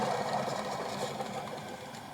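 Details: Alternator off the vehicle, spun by hand: gritty, rattling whir fading as it slows, from worn bearings; it still worked but whined loudly, especially around 2500 rpm. A new alternator is silent.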